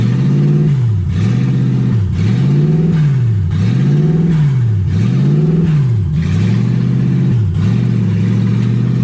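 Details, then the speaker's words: Ford Falcon with 1UZ V8 on first drive, warm with radiator hot and gauge near 160: idle speed climbs and drops in a slow, steady surge about every second and a half. Owner unsure why. "I don't know why idles like that. I need to figure that out."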